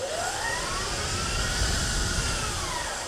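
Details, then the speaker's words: 2018 Permobil F5 wheelchair motors in a 2021 F3, after commutator sanding, lubrication, cleaning, brush break-in, full speed: loud high whine rising and easing over a rumbling drive; faster than before but still loud, reverse quieter. "yeah, that's uh quite a bit more performant. It's still loud."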